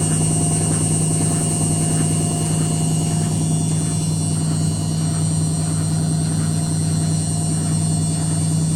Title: Стук барабана при отжиме. Стиральная машинка Indesit WITL 106.